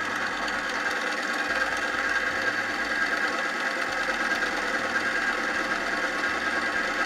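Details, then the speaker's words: E-bike chain lubricant on a lube testing machine under two weight plates: harsh, steady metal-on-metal scraping hiss with visible fling and smoke, as the oil breaks down from high friction. "that sound you hear that is the metal on metal the scraping we will highlight it you can see the flinging and you can see the smoke coming out that's the breakdown of the oil due to the high the high friction"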